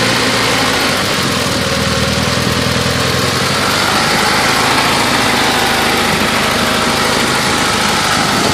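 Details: 1990 Talon with intermittent engine knock: loud, rough idle with an uneven tapping that comes and goes; owner wonders about piston slap, cause unknown.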